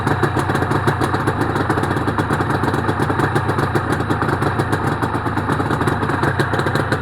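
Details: Honda NSR250R-SP MC18 250cc two-stroke during restoration, cold start on choke with JHA expansion pipes: steady, crisp, even idle with no misses or knocks, power valve servo working; engine running healthy.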